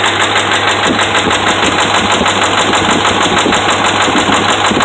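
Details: Dodge Ram 5.7 Hemi petrol V8 at light revs (kept under 2,000 rpm): a steady, fast knocking over a loud, rough engine from bad connecting rod and crankshaft bearings.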